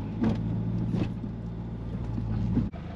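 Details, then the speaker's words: Honda Civic with G23 VTEC swap after recalibrating an out-of-spec TPS: low, steady idle hum with a brief dip, apparently as the IACV compensates, then settles without stalling. Normal warm idle. "Now let's go back. See, it's not dying anymore."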